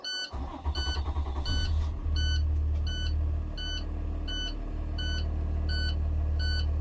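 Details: 2020 International truck with Cummins diesel, after reinstalling cleaned SCR, DOC and DPF filter: engine cranks, catches and settles to idle under a steady high beep about twice a second, buzzer calling for DPF regeneration.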